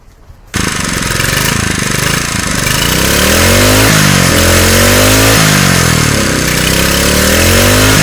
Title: running a newly fixed engine